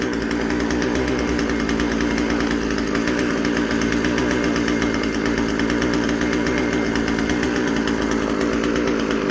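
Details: Husqvarna 136 chainsaw after a carb rebuild for a rotten fuel line and dirt, with the high-speed jet tuned to the rich side. It holds a strong, even high-rev buzz with no surging, sputter or dropouts: normal running.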